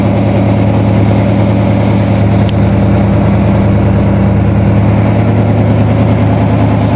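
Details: 1987 Toyota Supra MKIII with Chevy 350 Vortec V8 and 700R4, refired after rebuild with firing order, timing and valve lash reset, exhaust loose on manifolds: deep steady idle, even rumble, no misses or knocks; healthy.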